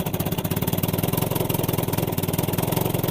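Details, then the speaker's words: Old Evinrude 20 hp two-stroke tiller outboard, revived, running in forward then reverse: crisp, even putter with no stumbles or gaps; it runs cleanly in gear. "Sounds good. Reverse. Seems to work."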